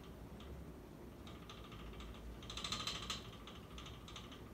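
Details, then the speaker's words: 1988 Dynasty hugger 52-inch ceiling fan on high speed, bearings not broken in, slight wobble: light uneven ticking about three per second over motor hum; owner suspects hex bolts locking motor to mounting bracket rattling, unconfirmed. "And you know, actually, what I think it is there's those two like hexagon type bolts that lock the fan motor to the mounting bracket. I think that it just might be rattling against that. That actually could be what it is."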